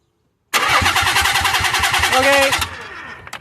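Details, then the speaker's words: Nissan 300Z: starter cranks briskly and evenly for about two seconds with no catch or firing; crank-no-start with no spark. The crank/cam angle sensor was checked afterwards. "No spark. No spark."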